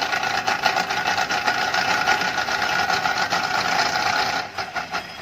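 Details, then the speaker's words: Car jacked up with the engine running in gear and the drive wheel held under load: rapid, uneven clicking knock over the engine, absent when straight and present when the steering is turned; worn CV joint on the drive shaft. "oke kalau bunyi begini biasanya masa ala driveshaft bila lurus bunyi itu tiada bila kita pusing steering"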